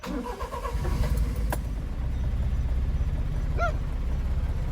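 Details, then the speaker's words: Honda Acty mini truck after fitting a Noco 500CCA lithium battery, new terminals and main fuse, restarted after running: brief crank catches almost at once into a steady, even idle; quick normal start, stall-restart theory next. "it starts up now let's test the stall Theory"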